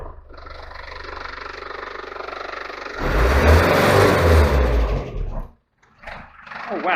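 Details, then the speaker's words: Land Rover Series 2, old four-cylinder, after fanbelt replacement: picks up cleanly, rises to a steady roar and drops back without hesitation; revving freely, healthy. "actually revving freely I might take her out for a run in a minute give her little test run I think"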